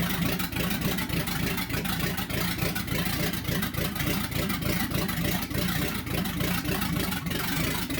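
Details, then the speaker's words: 1964 Chevy C10 pickup with a freshly built small-block Chevy V8 on its first start-up: deep, lumpy V8 rumble with a steady idle beat and clean revs that rise and fall smoothly, a healthy engine. "so yeah like a throaty v8 for you yeah yeah that sounds good"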